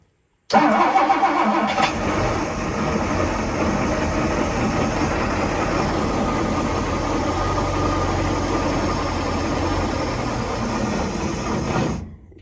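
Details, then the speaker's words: 1967 Chris Craft Roamer yacht, Ford 427 engine unrun about 11 years, gas poured into carburetor, choke and coil jumper used: catches at once, steady idle about eleven seconds, then dies as the primed fuel runs out. "It must eat a lot of fuel. I think it went through everything we put in."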